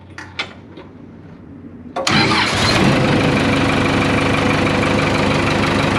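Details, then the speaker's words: Case 580K backhoe diesel with a newly replaced starter, after the old starter had cranked slowly in the cold: a brief quick crank, then it catches at once into a steady even idle. Healthy start; the old starter had been dragging. "so this bag has probably never started that well since i've been messing with it that old starter must have been dragging there for quite a while"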